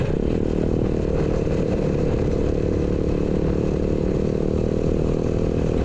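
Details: Chopper with a new 125cc 4-speed engine, easy kick start, reworked exhaust: revs with a crisp, even, throaty bark and smooth steady note, no knocks or rattles, sounding way better than before.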